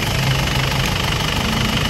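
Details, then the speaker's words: Isuzu 4JA1/4JB1/4JJ1-type diesel at steady idle: loud, rough clatter with a heavy chuffing undertone. Smoke comes from the dipstick, and another shop called it blowby needing a general overhaul. The radiator is very dirty and the engine overheated. Excessive crankcase blowby. "common issue mga guys sa mga 4j b1 4j A1 4G x1 4G J1 kung umuusok po nito sabihin po nila blow na yung makina"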